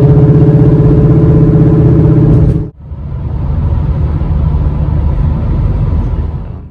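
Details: 2008 Audi A4 Quattro S-Line, driving before front-end overhaul: loud droning hum with steady wobble from suspected faulty front wheel bearings, then cut to quieter, smoother road sound after new pre-pressed front bearings, control arms, knuckles, end links, rotors and pads fitted.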